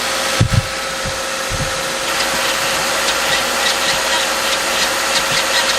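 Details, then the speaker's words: Subaru/Toyota FB20/FA20 after head gasket replacement, first start with torque converter previously empty: mid-pitched whine over rough idle after starting thumps; owner suspects transmission low on fluid and tops it off. "I think that was transmission I'm gonna um I'm gonna pump some more fluid into the trans and see if that sound doesn't go away"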